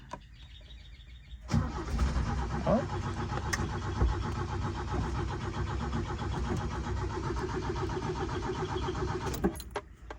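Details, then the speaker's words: 1977 Toyota motorhome, long stored, in neutral: about eight seconds of rhythmic cranking that never catches; turns over but won't start. "You can hear he wants to go. So I'm gonna just give him a little gas. One pump to the floor, that's gonna push gas into the motor. Oh, come on, putt. Nothing."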